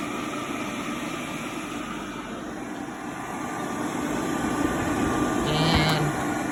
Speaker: But as you can see, it works, or you can hear it work.